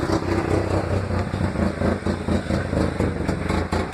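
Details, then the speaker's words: 1996 Ford Ranger 2.3 lacking power and shaking, with known wiring issues; right after start, off throttle it spits and misses badly, idle surging and sagging about four pulses a second as if to stall; rough idle, cause undetermined. "sometimes whenever you first crank it up and you give it gas and you let off the gas it'll spits but it'll start missing really bad"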